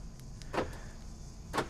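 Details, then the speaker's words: Ford Falcon/Territory, remote locking with one door intentionally left open: a lock clunk, then about a second later a second clunk as locks pop back open; immediate unlock caused by the open door. "it unlocked it unlocks automatically and sometimes you can hear on some cars the horn beeping like that as well i'll try it again lock unlocks immediately because this door is intentionally um left open right"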